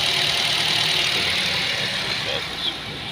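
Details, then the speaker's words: Nissan Tiida with code P2119 (throttle control), idling after removing and cleaning the dirty throttle body, before the idle relearn drive. Even, steady idle with no hunting, surging or misses: normal idle. "so it's idling fine right now so we will take it for a drive and let it have a learn itself"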